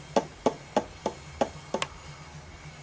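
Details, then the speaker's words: Borg Warner 1356 transfer case from a Bronco, turned by hand: sharp metallic clacks, about three a second, from the oil pump body knocking around the shaft, held only by a small metal tab; a common 1356 problem. "See that? That's what that noise is. That is to the body of the oil pump."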